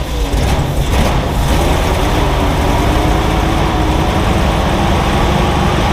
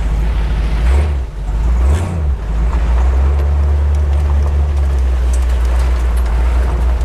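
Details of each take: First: Jeep CJ-7, fed fuel into the carburetor in cold wind. Heavy, lumpy idle with uneven stumbles and one cylinder dead. Misfire from a disconnected spark plug wire. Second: Jeep CJ-7 V8 with a carburetor, driving once warmed up. Deep, even rumble with no misfire or stumble. Normal warm running.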